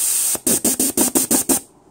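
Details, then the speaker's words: VW/Audi/Renault 01M/01N/AG4-type automatic transmission on/off shift solenoid on a bench tester at 8.5 V and 60 PSI air, after cleaning and demagnetising: eight quick, rough-cut hissing air bursts. The solenoid is not switching cleanly. "not liking it all you can even hear it what needs a to work anyway"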